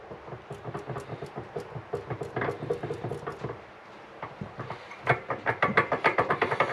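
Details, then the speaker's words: 2004 Baja Warrior 200 mini bike with cover off during CVT fitting, engine running: loose, uneven ticking rattle about three beats a second from the drive side; owner suspects worn jackshaft bearings as most of the noise. "the bearings for this Jack shaft I think it's most of that noise what I'm hearing so if a guy wanted to he probably could just get bearings and press them in and everything would be fine"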